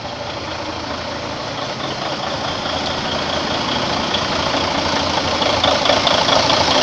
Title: Mercedes Benz Actross Engine 2 Running after Overhaul